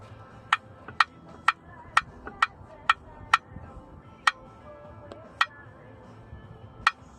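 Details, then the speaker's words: 1989 Jeep Cherokee XJ, Renix 4.6L I6, AW4 automatic: flexplate bolts off except the last, loose one. Prying the plate gives sharp, irregular metallic pops about twice a second, matching the earlier intermittent knock. No crack is visible, so a cracked flexplate is suspected, not confirmed. "that sounds like the noise sound familiar so I think that's the issue"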